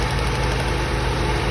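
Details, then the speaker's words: Old Toyota Corolla, tired compression: steady low idle with lumpy beat and periodic dips, misfire; power balance test shows no rpm change on cylinder one; cause suspected, unconfirmed. "she's still running rough still acting the same when we do a power balance test the rpms don't change at all"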